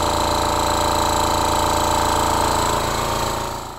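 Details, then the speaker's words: Mantus scuba diving compressor running with pressure rising past 800 toward 1000 psi, when air begins flowing to the cylinder: steady quick pounding, about four strokes a second, with a high hiss; running normally. "so the compressor is on the pressure here is below 800 psi so no air is coming out into the cylinder once the pressure reaches a thousand which is about now now i can feel that the air is coming out"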